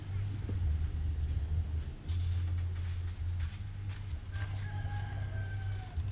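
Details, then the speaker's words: Yamaha 115hp two-stroke outboard compression test, cranked 2–3 times: low, steady cranking drone in even bursts. This cylinder reads 100 psi (cylinder 2 about 100-plus) against a 65 psi manual minimum, somewhat loose but still usable for a while. "สูบนี้เหลือ100นะก็100ก็ยังน่าจะพอใช้งานได้อีกสักพักหนึ่งนะครับ"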